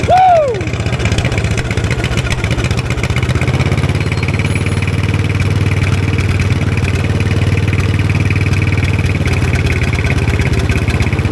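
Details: 1960s Caterpillar pony (starting) engine just after carburetor cleaning, running at mid throttle on a roughly 30-second run, not yet warm: brief start-up whine, then steady even firing with no misses; runs really good.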